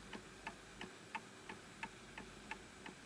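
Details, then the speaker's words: Antique Enfield Westminster-chime mantel clock, fully wound, after the pendulum is adjusted to match a flat surface: crisp, evenly spaced ticks at about 88 per minute, each matching the last; clock running in beat. "And now it's matching the surface level that it's on. So whatever surface you set it on has to be absolutely flat."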